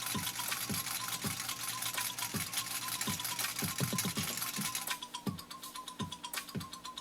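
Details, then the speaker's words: Restored 1949 Singer 66-8 sewing machine, motor rebuilt, sewing thick leather: steady stitching about two to three stitches a second with an even motor hum; running smoothly and healthy. "well i don't know if you can hear this machine working or not but it is working kind of like when it stows acrylic fiber it is working on this material"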